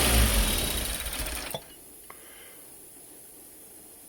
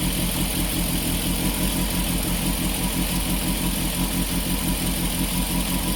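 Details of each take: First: Peugeot 205 GTI with idle control fault: engine runs steadily, then dies the instant the idle control valve is connected; wiring fault suspected, idle valve lacking earth. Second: Peugeot 205 GTI after a no-start fix, cold start at a steady fast idle just under 1500 rpm, smooth drone with no misses; after a blip it settles to a correct idle within about a minute.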